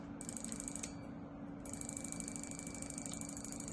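A quick, steady ticking of roughly three clicks a second over a faint hum: the injector is switching cleanly and working.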